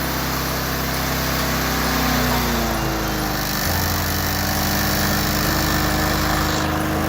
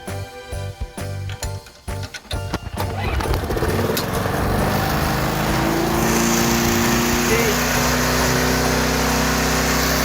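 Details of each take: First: It should be right there. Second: That's revving way too high. It should be right there.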